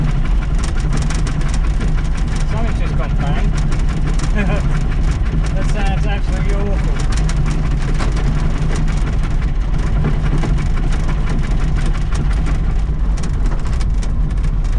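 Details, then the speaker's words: VW Baja Bug, not yet tuned, just converted from twin carburettors to a single Weber 40IDF, on a test drive: uneven, lumpy low thrum with a loud chuffing pop from one cylinder. A spark plug apparently blew right out of the head, probably left loose, likely causing the misfire. "Sounds like it's just popped a spark plug right out."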